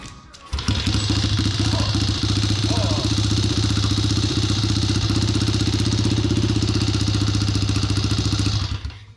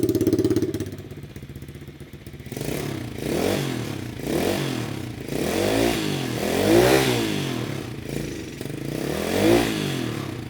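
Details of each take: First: Chinese mini pit bike with swapped 125cc engine, first run after new cylinder and piston with oiled cylinder: small single revving hard, fast uneven pulses with rattly edge; abnormal noise, source unknown. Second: Rebuilt 125cc Chinese pit bike with new cylinder, piston and welded muffler: single-cylinder revs rising and falling, muffled and fairly soft with no harsh rasp; quietest exhaust setup tried.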